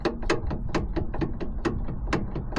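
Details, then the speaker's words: Rear CV joint on a classic VW camper bus, drive shaft worked in and out by hand while holding the wheel: in-and-out movement is normal, but a sharp, uneven click about three a second matches the knock heard while driving; worn CV joint. "Moving in and out is normal, but you can hear that definite click, and that's the sort of noise we were getting when we were moving."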